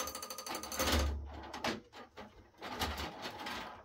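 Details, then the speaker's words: PC power-up with Supermicro H11SSL-i board, AMD EPYC 7282 and SilverStone FX600 PSU: rapid dry clicking and crunching as fans spin up, blades striking 3D-printed drive rails left in the case. "But uh let's try that again without fans crunching."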